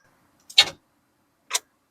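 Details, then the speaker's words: C4 Corvette, battery recharged to above 12 volts and reinstalled: two sharp dry clicks about a second apart, no cranking; dead again. No-start clicking. "Dead in the water again. It's just dead again."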